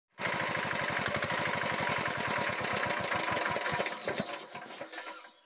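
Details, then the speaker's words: Diesel engine running: sharp evenly spaced puffs and ticks each cycle, chuffing back through the air cleaner with white smoke; loose rocker tappet. "এই ইঞ্জিনটির শব্দ আপনারা শুনলেন air cleaner দিয়ে ফকফক ফক ফক শব্দ করতেছে এবং সাদা ধুয়া দিচ্ছে"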